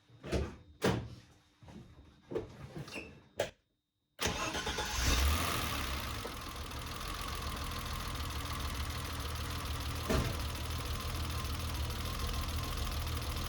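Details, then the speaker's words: BMW E30 that has long run rich with black smoke, idling during misfire diagnosis after the compression test. It starts after a few clicks and settles into a slightly lumpy, uneven idle. Rough idle from running rich. "as you can see it's got a little bit of a rough idle and in the daytime we got a little bit of noise but basically the same"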